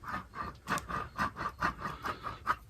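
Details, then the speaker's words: Homelite Super XL Auto chainsaw, crankshaft turned by hand with the clutch off: rough gritty rasping pulses about four a second though there is no play; pitted crankshaft bearing to be replaced. "When it's running, it really makes a noise. But there's no play to it."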